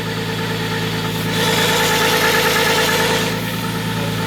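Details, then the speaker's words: Nissan RB25 with new cam and crank trigger setup, now idling normally: steady idle with constant high thin whine over the engine; owners suspect the timing belt was installed too tight. "So it's idling normally finally. It sounds really good, but it kind of sounds like the timing belt's a little too tight, doesn't it?"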